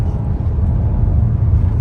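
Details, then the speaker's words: 2.5T turbo car on a test drive after fake spark plugs causing random misfire were replaced with genuine iridium plugs. Deep, steady engine drone under load with no stumbling; boosting very well, misfire resolved. "It's a 2.5T. So let's see. So the guy is boosting very well."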